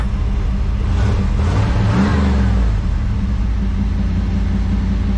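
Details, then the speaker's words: 1988 truck mid long-to-short-bed conversion, fuel tank drained after sitting over a year, starts and runs with a deep, steady rumble. Throttle blips return evenly to idle, with some smoke from old gas; it sounds normal. "Sounds good."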